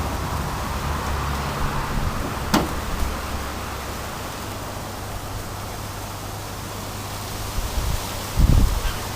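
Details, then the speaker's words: Old transformer of about 35 V with dodgy wiring driving an electrolysis setup: a steady mains hum with a heavier buzz and crackle as if overloaded, a suspected short; it soon smoked and burnt out. "I can hear it moves about bubbles where we just got direct shorts somewhere I don't know anyway let's see how this goes I don't really like the sound of it"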